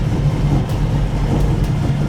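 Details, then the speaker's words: 1969 Ford Mustang V8 first start after many years, with restored carburettor and a jumped bigger battery: deep even rumble holding a smooth steady idle with no misses, knocks or surging. "Oh my god. It runs smooth. It's holding idle."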